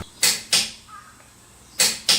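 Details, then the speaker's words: TONE T4MN140CH-QL preset torque wrench (1/2-inch drive, 140 N·m) with torque set lowered: crisp metallic clicks in two quick pairs, breaking cleanly at its setting. Normal torque wrench click. "普通のカチッですね？TONEさんのカチッ。これもトルク値を下げてます音の大きさとメリハリが全然違う"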